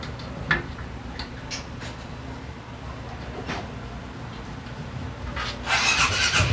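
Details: Daelim Citi Ace 100 (CA100) after replacing worn clutch lifter roller assembly behind the right crankcase cover, which caused gear-shift noise: steady even run with clean rev climb, no knocks or rattles; normal running after repair.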